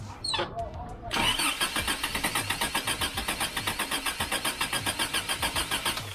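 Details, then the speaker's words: Freshly rebuilt Toyota 22RE with performance cam, first start: cranks, catches, then a choppy, lumpy pulsing run that barely holds; timing off, distributor rotor not quite set on install, distributor moved for adjustment. "all right not having too much luck it does sound like it's just not quite in time so we'll get out here and we'll screw up the distributor a little bit move it back and forth see what works best"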